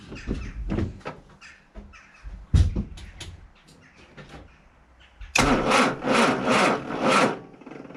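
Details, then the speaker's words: Austin Allegro 1300 Super after months in storage: sluggish, uneven cranking at two to three turns a second that never catches; flat battery, later jump-started. "that, ladies and gentlemen, is what a flat battery sounds like. I'm very embarrassed about that."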